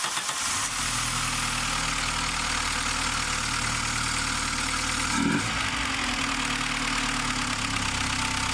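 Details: VW Golf Mk3 engine after head gasket replacement, before coolant and air filter box are fitted: a brief crank catches quickly into a steady, even idle with no misfire or knock; normal start.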